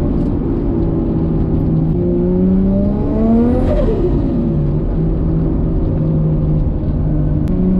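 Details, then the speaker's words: Built R33 Skyline RB25DET, about 550hp, driven after a lifter repair: pulls cleanly, note rising and falling smoothly with revs and turbo flutter, and no valvetrain ticking. Running is normal and healthy. "doing all that work has actually paid off so we're gonna go for a cheeky test drive this is that nice turbo flood and enjoy the cruise"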